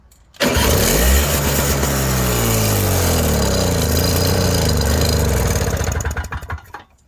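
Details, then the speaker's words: Toro CCR 3650 two-stroke snowblower after primer bulb replacement, electric start after priming, checking for leaks: brief starter whir, engine catches and revs up, runs a few seconds then dies away. "And then we're going to try to do an electric start and see if it's going to start without leaking."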